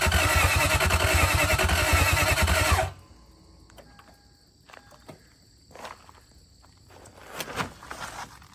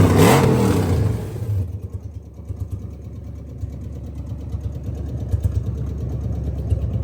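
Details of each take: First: 2001 Lexus IS300 with a 1UZ V8 swap, third start attempt after the immobilizer reset and after refitting missing block ground wires: the starter cranks at a steady three and a half beats a second for three seconds with no firing. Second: 2001 Lexus IS300 with 1UZ V8 swap, automatic, first engine start after immobilizer reset and fuel line modifications: starts loud then settles into a steady even low rumble, no misfire or tapping; running great, a fuel injector possibly leaking.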